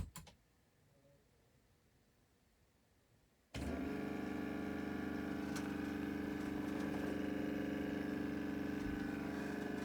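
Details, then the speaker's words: Nakamichi 481 three-head cassette deck whose previous owner let the magic smoke out, at power-on. Silence, then a steady hum and whir: a motor runs uncommanded (believed to be the reel motor) and something smells hot. "Something's running. And something's getting hot. I can smell it."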